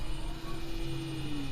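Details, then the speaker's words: New Marco bronze gear water pump, just installed with the old strainer, running for the first time while pumping water: only a faint, steady low hum, so quiet it seemed off. Normal pump running. "You can barely hear it. I thought it hadn't come on then, but it has."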